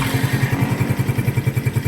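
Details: Engine after loose pinion gear nut retightened with a washer removed so it grips again: steady even idle, smooth regular firing, no knock or rattle; quiet, no overhaul needed.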